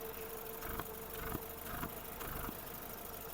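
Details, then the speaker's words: 2006/7 Volkswagen Golf Plus 1.6 petrol, 230,000 km, six-speed: quiet, low idle with steady faint hum and few soft clunks; starts quietly, no smoke, no compression issues, engine healthy. "По компресії немає диму немає Мотор працює тихорівно заводиться співтиха заводиться тихенько такі мотори треба тільки слухати щоб перевірити їхній стан"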